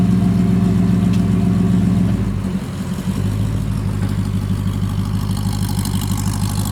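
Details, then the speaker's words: Rebuilt Porsche 928 V8 after oil change to better oil: deep even drone dipping as revs drop, then settling to a smooth steady run; the constant valve tick from before the oil change is gone. "not a complicated thing to do I know but wow does that engine sound smoother before I had the tick tick tick tick all the time from one of the the valves"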